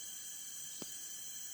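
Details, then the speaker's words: Alfa Romeo Spider 2000 leak-down test, cylinder four holding about 12 psi versus 90 on cylinder one: steady loud hiss of escaping air felt at the exhaust, leaking past the exhaust valve. "you can hear the back as well i can feel the actual air coming out of the exhaust here so there's a bad leg from the actual valve exhaust valve"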